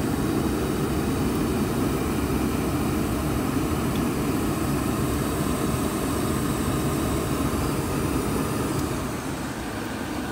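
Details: ICP Comfortmaker gas furnace with clogged burners and suspected bad gas valve: even, steady burner roar with no surging or popping, likely still on low stage awaiting switch to high fire.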